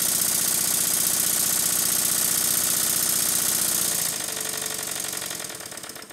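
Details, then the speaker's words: Stuart 7A model steam engine newly fitted to its dense base and not yet connected to the exhaust pipe: crisp, even exhaust beats about four a second, steady with plenty of power; normal running. "the engine sounds much better on the base body I won't connect to the exhaust pipe yet it's got plenty of power"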